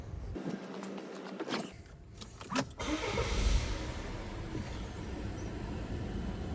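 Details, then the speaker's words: 2017 Volvo V40 2.0 petrol after PCV valve replacement: brief crank, catches and settles straight into steady, even idle, no squeal, hunting or stumble, only light oil-cap suction; normal start and idle. "See, it's idling nice and even straight away. Let's just have a quick look. Now, so as you can see, idling nice and smooth now."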